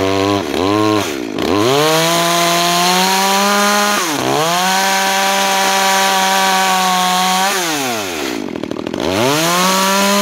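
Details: New Makita EA3200S chainsaw during break-in, cutting wood: revs up clean, bogs slightly and steadies into each cut, recovers crisply between cuts; healthy.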